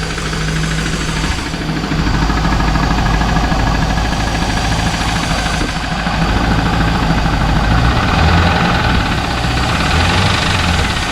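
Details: 2001 Trans Am LS1 idling after 300 miles of driving with a knock, with a Marvel Mystery/Seafoam treatment added and oil pressure never below 40: loud rumbling V8 idle with a rough, regular knock about three per second. The treatment did not fix it; cause unknown.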